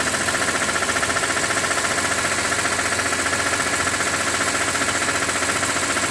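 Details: 2006 BMW E46 M3, 42,600 km, warm idle above 80°C oil temperature: fast, even ticking three to four per second over steady idle; source unknown, owner wonders about the oil pump.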